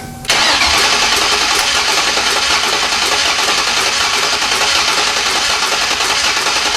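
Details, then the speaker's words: 1995 Lincoln MKVIII with a swapped 32-valve 4.6 DOHC Ford engine: it catches and runs harshly with an uneven, ragged beat. A plug left out or a misplaced plug wire is suspected, not confirmed. "Making a weird noise. Sounds like I left a plug out."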